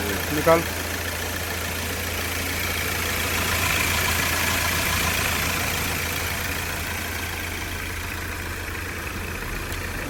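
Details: Hyundai Creta diesel, idling after its engine timing was reset; it had earlier developed a knocking rattle, white smoke and starting trouble following engine work elsewhere. Steady, even idle with a low smooth drone, no knock or stumble; normal idle.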